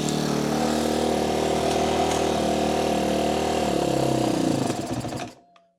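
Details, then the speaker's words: 2013 Kawasaki KX250F after head and valve replacement, timing rechecked: slow uneven single-cylinder idle sags and dies, valve noise gone but occasional slapping inside engine; revs fine but won't idle with idle turned down. "The noise from the valves is gone, but there's something every once in a while slapping around inside this engine, and it does not want to idle properly."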